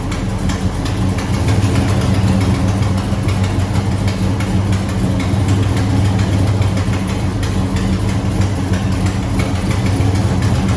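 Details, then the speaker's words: Customer's A12 Mopar V8, idling cold on aftermarket headers dented to clear the valve cover: loud lumpy idle with harsh raspy puffing at each firing pulse, from a hole in the header, a nasty exhaust leak. "it uh it has a nasty exhaust leak I'll show you"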